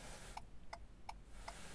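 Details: 2018 Ford Fiesta MK8 with hazards switched on during proximity key programming, a support battery clamped on, in a quiet cabin: crisp, even ticks about every third of a second, the hazard flasher relay cycling normally.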